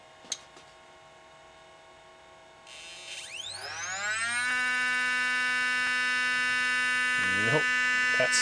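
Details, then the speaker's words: DLP rear projection TV colour wheel motor after lubrication attempt: whine climbing on spin-up, then rough buzz as it fails to regulate speed, worse than before; noisy colour wheel motor, possibly unrepairable. "worse than it did before it seems to be having problems uh regulating the speed as well this thing may not be repairable unfortunately"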